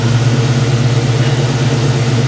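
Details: Ford Foxbody Mustang V8 returned to stock with factory cooling fans, timing just set to 10° BTDC per its tune: smooth, even idle with steady low burble, no misses, ticks or knocks; runs clean, timing spot on.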